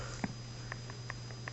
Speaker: Hopefully you can hear that clicking sound. You have to hear that. Then either it's set or you have to move it back a little bit more,